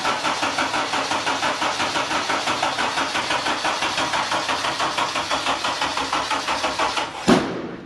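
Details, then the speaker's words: 1996 Mazda MX-5 Miata with swapped Honda K24Z3, first start attempt: slow steady cranking about two turns a second for seven seconds without starting, then one sharp loud backfire; excess fuel suspected, flood clearing planned. "whoa all right so we got a serious backfire there we're going to try to flood clear this thing so we unplug the injectors we're going to crank it over try to get any excess fuel out of the cylinders that are in there"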